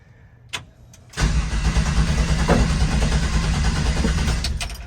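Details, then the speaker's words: 1967 Chevrolet C10 with Holley EFI, after a transmission swap: the starter grinds steadily at about three compression pulses a second and the engine never fires; the fuel pump runs, no spark suspected. "well I don't see anything out of the ordinary here doesn't want to fire fuel pumps running"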